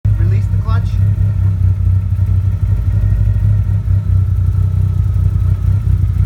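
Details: 1G DSM (Mitsubishi Eclipse/Talon/Laser community) running with a deep, constant low rumble from the rear and no clear knock; the owner wonders if it comes from the transmission, cause unknown.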